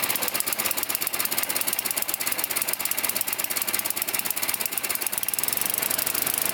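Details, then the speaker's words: 9 hp Tecumseh snowblower with adjustable HIPA carburetor, cold, just started on prime and full choke: rapid, sharp raspy popping beat running fast; idling too high, carburetor needs adjustment once warm. "In this case, it was running a little too high, so you don't want to let it run at 4,000 or 5,000 RPMs."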